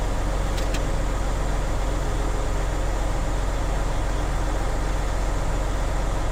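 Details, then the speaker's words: Tractor-trailer diesel engine revved to a raised idle (stated as about 10,000 RPM) while filling air to governor cut-out before the three-way brake test; steady raised-idle drone with an even pulse about 2.5 per second, no knocks; compressor charging normally. "And I will once again fill it all the way to governor cut out. Because we are recording, I'm going to rev up the engine to about 10,000 RPM."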